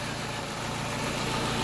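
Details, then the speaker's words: Peugeot 207 after a blown head gasket repair with head skimmed, all gaskets replaced and sump cleaned of coolant-contaminated oil: smooth, steady idle with an even low hum, no misses, knocks or hiss; engine running cleanly. "limpar o coloco plainar o cabeçote trocou tudo e aí funcionando o"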